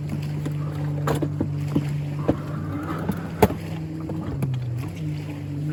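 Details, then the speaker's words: Evinrude outboard on a Boston Whaler 13 running down the lake at speed: steady drone that sags and dips as it starts starving, the high-speed jet slowly closing itself off and running lean; owner plans to tighten the packing. "all right the high-speed jet when it gets running down the road uh water starts vibrating if you can hear it start starving so it's slowly closing itself off"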